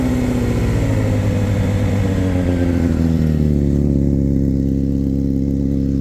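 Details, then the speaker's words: 2005 Honda CBR600RR, about 38,000 miles, first start on a booster battery: revs climb smoothly and settle to a steady idle with no misfire or knock; a little blue smoke at startup and an antifreeze leak, possibly a hose. "Wow. Woo. It's alive. [Music] Don't smell too bad. See a little blue oil when I first started it."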